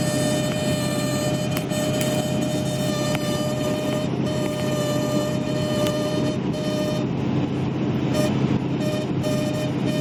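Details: 2011 Ford F-350 cruising into a headwind: a steady mid-pitched, reedy buzz rides over the road noise; source unconfirmed, something vibrating in the airflow.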